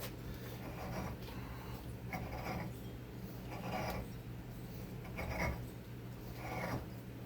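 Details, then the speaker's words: Hand-cutting a Nikasil-coated cylinder bore: rough, uneven, chattery rasping cuts about every 1.5 seconds as the cutter hits a hard spot that won't cut and bounces up. "That sounds horrible. See a hard spot in there that's not cutting. It's bouncing up."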